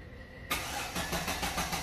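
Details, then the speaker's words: Relative compression test with a CR filter on a scope while cranking: the starter cranks in even beats about six a second, none weaker or missing, with cylinders 1, 3, 4, 2 balanced. "Ó, tudo bacana, ó."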